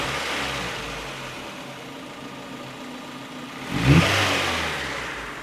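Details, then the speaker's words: Warmed-up Honda Prelude (3rd generation) idling low, steady and even with a brief rev blip that settles back smoothly, after the bouncing/surging idle was diagnosed and fixed; normal healthy idle. "listen how good that sounds it's idling nice and low because the car is already warmed up"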